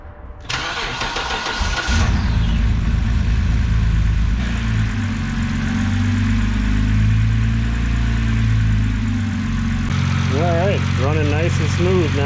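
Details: 2006 BMW 325xi after fitting a new fuel injector to fix rough running, muffler cut off: cranks and catches at once, then settles into a low, even idle without stumbles or misfires; running smooth.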